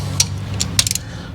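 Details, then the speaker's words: Shop truck timing chain and intake job: torque wrench gives sharp metallic clicks, one then a quick cluster of three or four, breaking over at about 8 to 10 ft-lbs while tightening in a criss-cross pattern. "crisscross applesauce now we're putting like what would that be 8 to 10 foot- lbs on it click click click"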